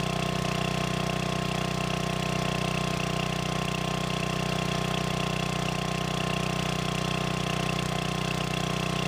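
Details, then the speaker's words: Free generator running indoors: steady, even drone with a faint electrical hum, no hunting or surging; it holds its set speed. "all right well that sounds like a success uh my flashlight still work yep diesel lights are great okay so she runs"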